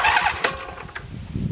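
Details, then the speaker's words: John Deere 325 mower with a Briggs & Stratton 22 hp V-twin Intek OHV, parking brake set, choke on, throttle up. Intermittent slow, dragging, uneven crank; suspected compression-release (unloader) valve timing, to be fixed by valve lash adjustment. "there it goes see how it's struggling right there"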